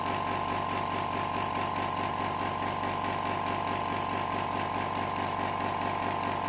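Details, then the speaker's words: Hyundai SAC 55751 silent (59 dB) compressor cutting back in as pressure drops, running until maximum pressure: steady hum with firm mid tone, even pulsing two to three times a second; normal refill cycle. "so almost now it's turned back on again and it will stop when it reaches the maximum pressure"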